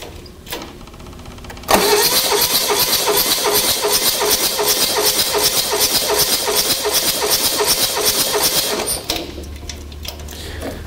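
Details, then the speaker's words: Diesel engine compression test with the gauge in a glow plug hole: the starter cranks at a steady beat while air hisses out of other glow plug holes; it reads 400 psi against a 435 psi minimum, so compression is low. "so there it quit moving and we're at 400 PSI so you think that sucks a good engine right this diesel engine when you go to the specifications in the technical manual minimum compression pressure in this engine is 435 so 435 we are low"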